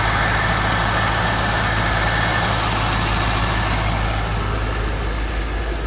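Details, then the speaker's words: 2003 Corvette C5 V8 idling while warming toward operating temperature after a new water pump install. A deep, even rumble with no belt chirp or squeal and no leaks seen. Normal idle. "so we're cranking along pretty good here car's warming up but you can see it's there belt still not squeaking that's cool"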